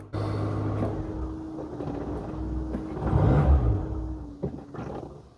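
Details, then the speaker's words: Cold-started Rover Metro 111 starts easily, then runs with a rough roar that sags every second or so and struggles to idle unless the pedal is held slightly down. Owner says the coolant temperature sensor needs replacing and suggests warming it 30 seconds first. "Starts easily enough, as you can hear. But unless you just keep your pedal ever so slightly depressed for a little while,"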